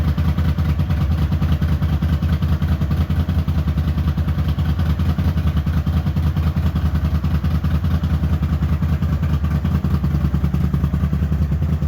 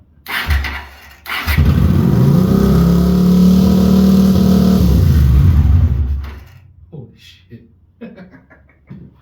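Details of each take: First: Honda GL400 Silverwing twin idling before carb strip, previous owner reported a left-side problem: lumpy, uneven low thump about 2.5 beats a second. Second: Honda GL400 Silverwing after carbs stripped and jets cleaned: engine catches and settles into an even, slightly fast idle on both cylinders, idle screw to be wound in, then shuts off; normal running after repair.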